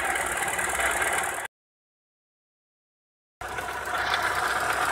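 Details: Opel Astra F 1.4 8v Si (C14SE) at idle: quick regular knock about four per second under a gritty whir, seemingly low in the engine; turned out to be a failed coolant pump, engine quiet after pump replacement.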